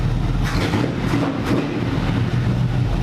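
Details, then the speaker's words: NASCAR V8 after a coil swap, 14 degrees initial timing: deep steady rumble with crisp blips settling cleanly; the old coil had caused backfiring through intake and exhaust, now fixed. "It was that coil. It was that coil. Wow, a lot better. A lot better. That fixed the problem, 100%."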